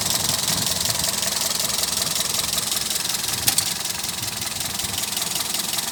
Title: Engine noise Etios